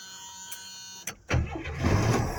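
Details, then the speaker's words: 1976 Chevy Camaro inline engine, after running out of gas: after a pause it catches first try and settles into a steady, even run; normal start. "There she goes. There the Camaro runs. $26 later. It's a good running little car."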